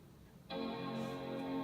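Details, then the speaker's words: iMac G4 powered on after installing a donated hard drive: clean, sustained startup chime, then hard drive spinning; the machine boots, though the drive may be dying a bit. "Okay, we have a chime, that's a good sign. I think I hear a hard drive."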